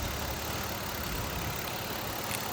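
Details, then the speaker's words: 2004 Mazda MPV with low power complaint: rough, uneven idle with a faint stumble through the steady engine noise; a dead misfire. "yeah we definitely have a miss going right now I can feel it I can hear it"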